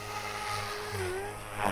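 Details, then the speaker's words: Electric RC helicopter hovering at high RPM with governor P and I gains set far too high; motor whine wavers and chirps, not smooth, with slight tail wag from inconsistent RPM. "this is my high rpm as you can hear the motors chirping if you listen very closely it does not sound smooth at all"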